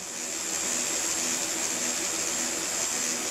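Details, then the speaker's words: fischertechnik model driven by a BeagleBoard, motor run from the diagnosis interface at maximum speed: a steady high whine with an airy rush and no rise in pitch. The propellers and carriage are not reaching full speed. "I can't say it is moving. Not full speed. Propellers are not going full speed."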